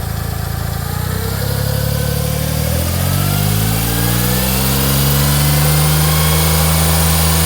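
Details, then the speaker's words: 2004 Smart ForTwo 450 700cc turbo petrol, rebuilt engine, new exhaust/catalytic converter just fitted; revved from idle, smooth even exhaust note, no drone or rattle, less tractor-like than the old cracked exhaust, healthy. "said sounds better now less of a tractor sounding blinking horrible won it"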